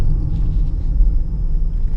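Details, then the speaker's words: Honda Pilot driving about 25–40 mph: low, steady droning whine, louder when steering left and quieter steering right, pointing to a worn driver's-side wheel bearing. "so on a bearing anytime you pull to either side increasing noise level okay that would lightly the bearing yeah so on this right here i would say that the driver's side bearing because any time i pulled on the left increasing"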